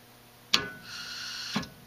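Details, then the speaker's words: Honeywell VR9205Q 2-stage gas valve; sharp clunk as main and servo solenoids open, soft gas hiss after a deliberate brief delay, then a second click. Normal valve operation. "that would actually be two solenoids opening the main gas valve solenoid and then also the servo solenoid which is going to control the pressure to the diaphragm in there"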